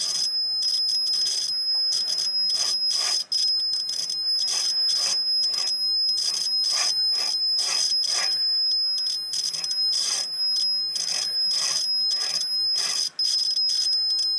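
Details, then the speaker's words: Homebuilt T-match antenna tuner with roller inductor: high-pitched continuity tester beep cuts in and out as the roller moves slowly along the coil; dirty roller and coil break contact, coil needs cleaning. "the coil definitely need to be cleaned there's no doubt about that and oil on that roller the rod at the roller depress huh"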